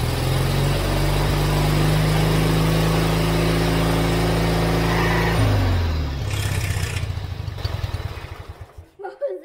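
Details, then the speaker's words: Forgotten lawn mower revived after seizure, new ignition coil and new spark plugs: engine fires and runs unevenly about five seconds then sags and dies; later runs after adding fuel to the carburetor bowl. "it almost started does that kind of start i don't think so yet it started to kind of start it was almost there"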